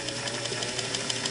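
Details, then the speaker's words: Singer 466 sewing machine after replacing the top vertical-shaft gear, run slowly: light even ticking about six per second with no binding or wobble; new gear turns smoothly. "smooth looks good the new gear is turning very smooth it's not wobbly or anything"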